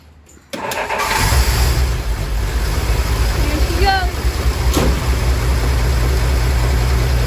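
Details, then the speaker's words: 1962 Willys pickup 226 six after sitting about two years, carb rebuilt, old battery: engine catches and settles into an uneven, lumpy, stumbling idle, still cold, with smoke. Sounds better but still rough; oil was put in cylinder 3. "still cold so it's hard to tell if it's running a lot better"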